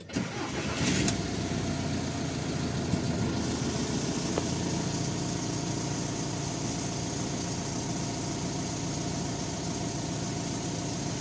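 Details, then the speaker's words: VW Caravelle T5.1 diesel started right after an oil change (40-grade oil), new filter and coolant change. Quick start into a smooth, even idle, quieter than before on the old oil. Normal idle. "เครื่องยนต์ก็เงียบลงนะครับกว่าตอนที่มานะตอนนี้มาน้ำมันเครื่องเก่าเสียงก็จะดังๆหน่อยนะครับ"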